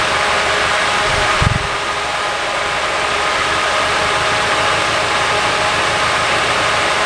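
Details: Nissan 240SX S14 Kouki SR20DET with a coil pack unplugged making little difference: idle hunts and stumbles unevenly, a thud early on; rough missing beat from a faulty fuel injector.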